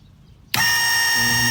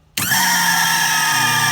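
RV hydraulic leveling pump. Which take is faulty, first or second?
second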